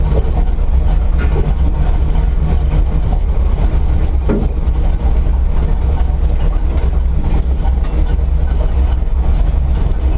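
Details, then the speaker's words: Chevrolet C10 V8 just started, cold, with a squeaky belt: deep idle loping and stumbling unevenly; misfire, owner suspects ignition (plug wires, coil or distributor), also blows smoke, possibly worn rings. "I don't know if you can hear behind the squeaky Bell but it's misfiring it doesn't it just doesn't run right I don't like it"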